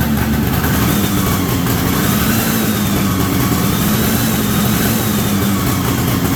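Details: 1973 Columbia snowmobile two-stroke, indoors, after the crankcase pulse line was fitted to the rebuilt diaphragm carburetor. Steady burble holds at idle without dying or stumbling: normal idle.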